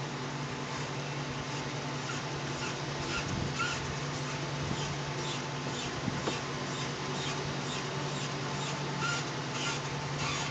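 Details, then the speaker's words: 2004 Ford F-150 backing up, especially when reversing to the right: faint, repeating high squeaks and rubbing over a quiet low drone as it creeps; source not yet found. "Alright, I have a squeaky noise on a 2004 F-150 and I'm trying to figure out what it is."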